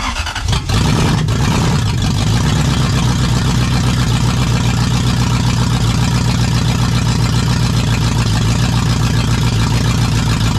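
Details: Jeep KJ with a swapped Lexus UZFE V8, started through a push-start button kit after the SKIM immobilizer was deleted. The V8 fires up and settles into a deep, even, loud run with no knocking or misfire. Normal running.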